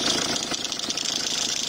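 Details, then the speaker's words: Peugeot 306 HDI 2.0 litre idling with a harsh, rapid high-pitched chirping and hiss from the alternator belt drive, belt trying to work off; spray doesn't stop it; worn alternator belt tensioner pulley, to be replaced. "that noise is still there so if I can try and aim it down at the pulley either pulley down there the noise is changing it's been a lot more rapidly"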